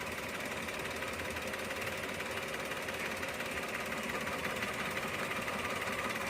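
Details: 2014 Maruti Celerio petrol, check engine light on, scan shows misfire on cylinder 2: idle with a hissy, slightly uneven rhythm, stumbling about three beats a second; ignition coil fault confirmed, coil replaced.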